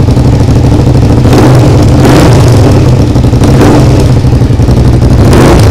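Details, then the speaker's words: Suzuki SV motorcycle under restoration, with a loud, throaty single-engine idle that swells with each throttle blip and a raspy chuff: an exhaust leak where the exhaust line was found loose and moving. "je crois qu'il y a une fuite là quelque part un souci au niveau de l'échappement on va"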